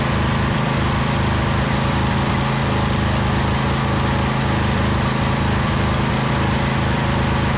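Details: Husqvarna YTH2242 lawn tractor, Briggs V-twin, after repairing a bent push rod and reassembly with good compression on both cylinders: steady, even V-twin beat with no knocks or misses, slight occasional surge; healthy running.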